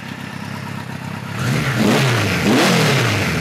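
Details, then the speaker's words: 1973 Kawasaki Z1 900 with 4-into-4 exhaust, air screws set to factory 1.5 turns, about 160 degrees, no fan: smooth, even four-cylinder idle, then clean, crisp blips rising and falling without misfires or hesitation; running nice and clean. "[Applause] nice and clean"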